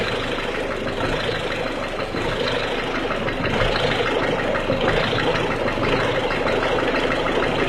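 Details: 1.6 HDi diesel at cold idle: a busy, uneven clacking of roughly three per second over the engine note. The source of the clatter is not pinned down.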